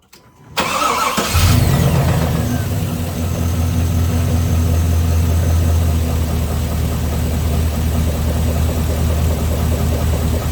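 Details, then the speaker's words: 6.0 LS V8 after over-revving with raised rev limiter: cranks, catches, settles to uneven idle with faint dull knock underneath; owner suspects bent rod number 7 with spun bearing, rod knock, later confirmed spun rod bearings. "Alright, that didn't sound that terrible, but I'm telling you, she's bad. I'm pretty sure that I wrapped her right up, and probably that rod that was bent number 7 here, I'm pretty sure that bearing spun, if I had to guess."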